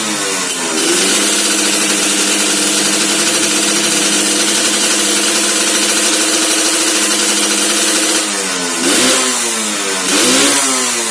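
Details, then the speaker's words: Restored two-stroke Suzuki Satria underbone with a ported engine: crisp idle holds steady, then clean quick revs rise and fall smoothly without misfire or knock; tuning judged okay, stock gearing too aggressive. Normal running. "Nah suaranya kurang lebih seperti itu eh untuk setelan nih Bisa dibilang sudah oke"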